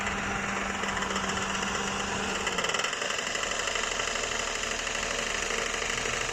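Fast, busy rattling tick over a steady idle with a lot of top-end chatter; something is knocking, but the source isn't clear.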